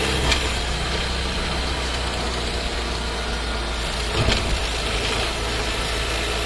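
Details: New Skoda Scala 1.5 TSI with dry-clutch DSG, about 3,500 km, heard in the cabin: engine ticking over with distinct thumps while shifting to a lower gear; harsh clunky downshift.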